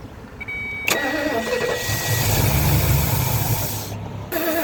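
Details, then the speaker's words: 1977 Lincoln Mark V 460 V8, abandoned project first start with fuel in the carburetor bowls: after short cranking it catches and settles into an even, rumbling idle with no knocks or misses. "That's a win. That old 460 sounds really good."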